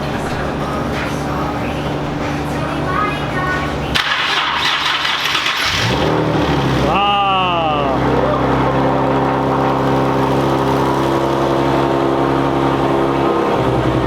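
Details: Nissan 370Z VQ engine just installed, first successful start after plugging in the starter signal wire: starter whirrs, the engine catches near seven seconds with a short rev flare, then settles into a steady, even idle. Normal start.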